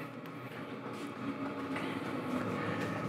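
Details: New portable diesel tent heater warmed up in shop at 68°F, 47% humidity: steady burner roar with quiet pump clicks about three per second, fairly even; running normally.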